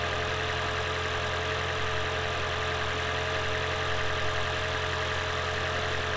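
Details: Lexus CT200h hybrid, first start after cleaning carbon from EGR and intake manifold and fitting an oil catch can (had cold start stutter): steady even idle hum, constant low note, no knocks, misses or ticks; normal idle.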